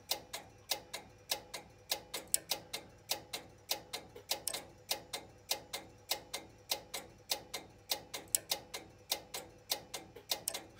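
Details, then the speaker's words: Strowger PABX exchange line circuit with a test call ringing the line. Crisp, sharp relay clicks, about a hundred a minute in a steady beat, from the AC ring detect relay pulling in while the finder hunts periodically. "so it's ringing there you hear it clicking you hear that when I'm over here and that clicking is corresponding to that AC relay which is the ring detect relay"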